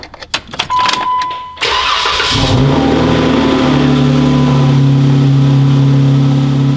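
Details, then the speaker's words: Jeep Wrangler 3.6 L Pentastar after replacing a broken rocker arm to fix the rocker/lifter tick: cranks, catches quickly and settles into a smooth, even idle with no ticking; repair successful. "no click it's got no click no click she's purring again i'm happy i'm so happy"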